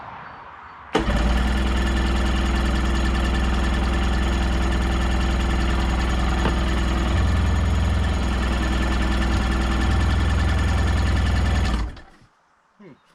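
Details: 1990 Sea-Doo GT, Rotax 587cc yellow engine, non-running unit, on choke with starting spray tried: starter churns steadily about eleven seconds at roughly three pulses a second, never firing; cranks but will not start.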